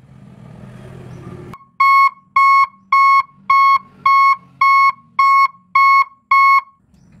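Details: Three-tone reverse alarm installed on an Isuzu Giga 24 V truck, yellow and red wires connected, testing: nine even beeps at about two per second, clean sharp tone with short gaps; reverse alarm works properly.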